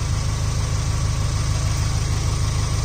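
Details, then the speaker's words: Subaru Impreza GG Sport petrol engine at idle during a short oil-change service: smooth, even idle with a light regular sewing-machine tick and steady low rumble; engine healthy. "Right, start her up. Sounds like a sewing machine."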